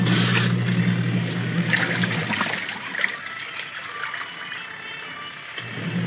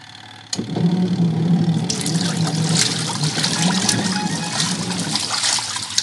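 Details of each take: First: Washing machine after gearcase pulley repair, tested with water: steady low motor hum under sloshing water, spin smooth and even with no grinding or knocking; no longer noisy, spinning well again. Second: Noisy washing machine that barely spins: a loud, rough grinding roar starts with the drum and holds steady over splashing water.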